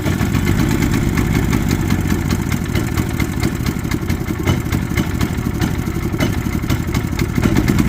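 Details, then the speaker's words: Predator 3500 generator that would not start, first start after repair and reassembly; even, fast-firing drone holding steady speed with no misses or surges, now running normally. "as you see here this generator that wasn't working now it's working again guys"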